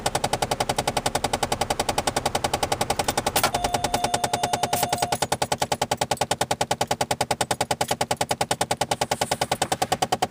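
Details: 2007 Chevrolet Malibu LS: fast, steady dashboard clicking about three per second that never stops; gears slipping inside a stuck AC mode or recirculation door actuator, fixed by freeing the door and replacing the actuator.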